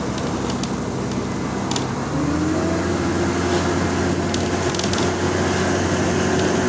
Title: Exhaust Leak 🔥🔥 | GAL EN29 On Bus Route 486 Part 4 (9)